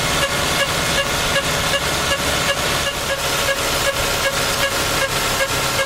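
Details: Lexus engine running smoothly with a steady light tick about two and a half per second; ticking noise of unidentified origin.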